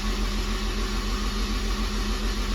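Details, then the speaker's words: Honda S2000 with 2.4 engine after rod bearing replacement, spark plugs out: even, smooth spin-over with steady low drone, no knocking or clatter; normal cranking with solid oil pressure. "motor sounds good there is that's what you want to see is a nice solid oil pressure"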